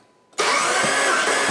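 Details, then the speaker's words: 2008 Jeep Commander 3.7 after engine rebuild for dropped valve seat, fuel pump fuse removed, cranking to build oil pressure: steady even starter whir with regular compression pulses; great compression, oil pressure coming up. "okay stop stop it's got great compression so that's awesome okay hey keep cranking it oil pressure's coming up"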